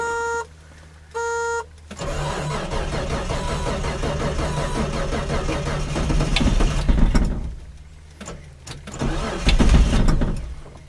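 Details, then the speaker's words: 1976 Datsun 280Z 2+2, original fuel injection, cold start around 35°F after a week or two sitting, cheap aftermarket starter: two chirps, then slow labouring cranking before it catches and revs; sluggish starter in cold. "I bought a el Cheo starter for this car when I was getting it you know ready to run out of the junkyard so it's a little sluggish and cold weather"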